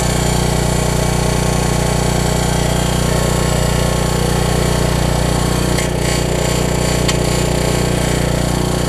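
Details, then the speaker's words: Troy-Bilt 550-watt generator, run on choke with a new coil; a steady small-engine drone with a dry scraping rub on top, which the owner hopes is a shroud rather than the engine; the rub later cleared. "it wouldn't surprise me to start right up that's some sort of shroud it's not the engine i hope not"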